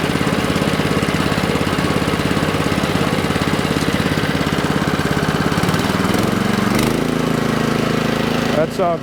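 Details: Neglected Alkota hot water pressure washer (model possibly 3205) that sat for years, on crusty fuel: a steady single-cylinder chug at about 200 beats a minute, firing evenly throughout; the engine is running well.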